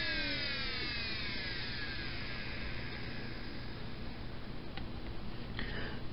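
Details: Old 4 GB hard drive (dated 1998) running: steady low hum under a downward-drifting whine, loud motor noise.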